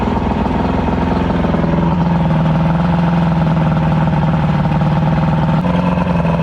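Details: Evinrude V4 crossflow outboard (88–115 class), warm, idling smoothly and evenly with no choppiness after throttle cam follower roller replacement and link-and-sync with timing set around 6° BTDC; no exhaust back pressure, so not a true comparison.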